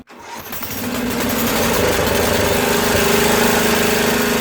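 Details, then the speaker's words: Craftsman 13hp OHV Tecumseh rear-engine tractor, which previously had no compression from valve problems, had water in it, and had its idle jet turned out: uneven, lumpy beat of about four pulses a second. The valves may need rechecking. Rough running. "now she's cranky might want to check the valves again after it runs a little bit"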